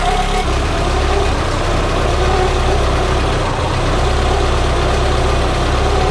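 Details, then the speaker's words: Peugeot 205 petrol engine idling with small fluctuations and a faint constant belt-like noise; alternator belt suspected but spraying soapy water changed nothing, source not found. "fait quelques petites fluctuations à on entend tout le temps le bruit de courroie melaku voilà elle est bien bien entendu maintenant est ce que ça pourrait venir de la cour à l'alternateur"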